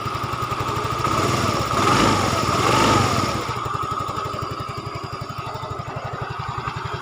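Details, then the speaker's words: Yamaha Fino 125cc fuel-injected scooter after camshaft repair: brief rev blip, then an even, steady putter at idle with no rough rattle. Now smooth. "Suaranya beda ya. Tembel masih yang lama. Oke, suaranya udah mulus."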